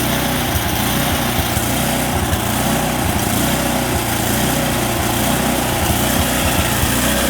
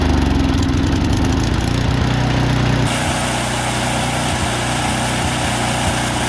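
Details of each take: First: Snowblower small engine at full throttle: the note slowly wavers up and down instead of holding steady. Surging idle, likely fuel or carburetor related. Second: Single-cylinder snowblower with no air filter and a rough idle after sitting all summer, fixed without removing the carburetor by spraying a can into the carb intake while running: it chugs, then settles into a smoother, steadier beat with no surging. The idle is improved.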